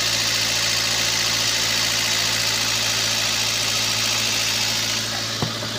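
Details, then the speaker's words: Toyota Avanza idling with one coil's socket unplugged and engine still running unchanged, confirming that coil weak or half-dead: faint uneven loping beat under steady hum, dead-cylinder misfire from failed ignition coil; owner reported high fuel use, fuel smell, no power. "soket sudah kita cabut nah tetap mesin masih mau hidup satbat ya berarti bisa dipastikan dari kuilnya ini sudah lemah atau sudah setengah mati sobat ya"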